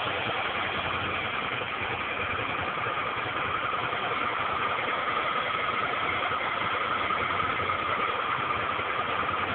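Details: 2001 Suzuki SV650 N V-twin running with a light, fairly quick clac-clac clacking over the engine note, seeming to come from the rear cylinder; cause unclear.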